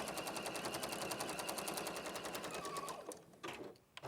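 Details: Sewing machine with a new needle, full bobbin and a recent clean, stitching a quilt block: fast, even ticking of the needle at a steady rate, no knocks or grinding before it stops; machine stitching normally.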